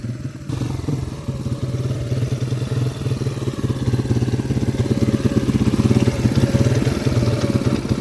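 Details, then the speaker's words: Yamaha Warrior first start, running on full choke: single cylinder races up and climbs to a steady high rev instead of settling; over-revving on full choke, owner suspects the carburetor, not confirmed. "a full choke it just wants to rev to the moon so she's running just real shitty as i expected"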